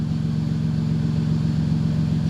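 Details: Chrysler Grand Voyager minivan just started after reassembly (control arm, brakes, front relays and wiring removed), no check engine light; smooth steady low hum with even firing beat, no ticks, knocks or misses, running normally.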